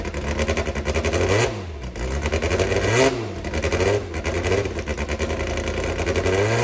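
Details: Brabham BT21 historic one-litre F3 engine, first cold fire-up after rebuild with new crank, balanced conrods and new sump: catches and blips, revs rising and falling cleanly, no knock or misfire; oil pressure looks good. Healthy engine run.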